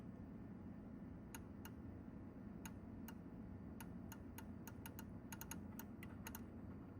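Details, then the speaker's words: Elvira and the Party Monsters pinball, switch test: about seventeen crisp uneven micro switch clicks by hand over low machine hum, but switch not registering; diode or wire fault suspected, ramp removal likely needed. "So, you can hear it clicking in this one. So, yes, so I know I'm clicking the switch, but either diode, wire, something's going on right there."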